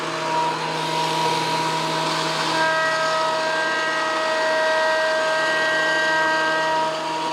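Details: WEN PL1326 15-amp 13-inch spiral benchtop thickness planer, after repair of misuse damage (replacement knives and bevel gear set used), planing a bigger board over several passes: steady even hum with a constant cutting tone, no knocks or bogging; cutting smoothly, within 0.002 in thickness.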